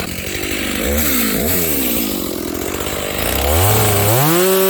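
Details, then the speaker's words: Stock Dolmar 7300 chainsaw at full throttle through cuts, high jet opened fully to limiters, bar possibly clogged; clean screaming pitch with little burble, four-stroking less than wanted, got quite warm; lean high-speed mixture, limiters to be removed. "I will have to take the limiters out of the carb though. This thing is a little lean there."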